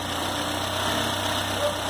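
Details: Citroën C4 hatch 2010 2.0 after 50k service with heat exchanger and belt kit replaced: smooth, even idle with steady hum and no knocks, ticks or misses; engine runs healthy.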